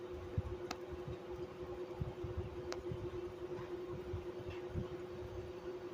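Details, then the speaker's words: 1995 Chambers (Whirlpool) 5000 BTU window AC, model BPAC0500AS2, R22, Emerson non-PSC induction fan motor on medium, Matsushita compressor running; a constant whine with rough, uneven fluttering from badly worn fan motor bearings. "This fan motor is extremely wore out and the bearings are shot. So, it's a little bit little bit rally sometimes. Sometimes it sounds good."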